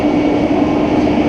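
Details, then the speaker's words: Roller coaster chain lift motor: constant, unwavering mid-pitched hum with a rumble underneath; lift drive running normally, its noise varying by manufacturer. "mais le bruit le plus caractéristique d'un livre tâche n c'est celui du train qui montent dessus le fameux bruit de clac clac clac clac clac clac clac comme le décrivent les lambda"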